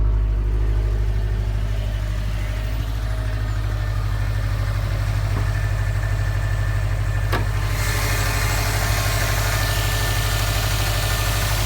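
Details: 2015 Subaru STI boxer engine at idle, knocking after a start following a 2–3 mile drive and a prior check engine light: heavy low drone with an uneven knock about three times a second; cause not yet known.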